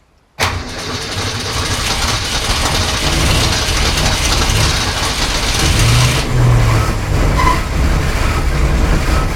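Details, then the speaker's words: 1965 Ford Falcon, first start of the newly rebuilt engine after a year of restoration: it catches and keeps running, but the beat is ragged and uneven with no steady idle; rough running, possibly flooded, so the carb mixture is turned down. "that feels awfully rough it is so the engine is not quite starting there's a possibility that it could be flooded with fuel"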